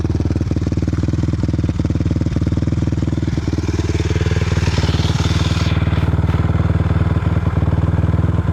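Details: 2006 Suzuki LTR 450 single-cylinder at fast idle with an uneven clattery beat and sharp backfire pops, still making power; cause unknown.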